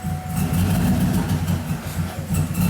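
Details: 2007 Cadillac Escalade idling with check engine and traction control lights flashing, hard starting; uneven, lumpy idle with irregular exhaust dropouts; misfire suspected on cylinders 7 and 8, mainly 8, cause not yet pinned down.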